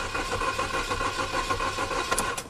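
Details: 2010 Chevrolet Cobalt 2.2 after wiring harness fire from underbody welding, engine computer back online but anti-theft/security light on: steady even starter cranking, engine turns over but never catches; crank-no-start, cause unconfirmed.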